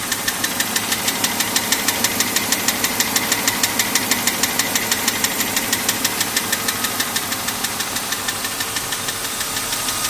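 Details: BMW M52 inline-six at idle, ticking only above 85 °C engine temperature, louder over last 6 months; tappets (HVA) and guides already replaced; hot oil pressure at cylinder head only 2.25 bar at 5000 rpm. Sharp very even tick about three per second; cause unknown.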